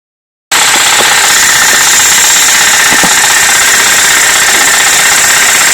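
Light, fairly regular tapping, about four per second, over a loud hissing engine note; a knock whose cause cannot be told.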